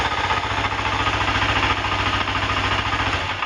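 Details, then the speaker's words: 2006 Kawasaki Ninja 250R at idle in neutral, choked, after cleaning the cam chain tensioner, which had left the cam chain extremely loose: steady even putter, and the earlier valve-like ticking is gone. "No tick. There's no ticking noise anymore."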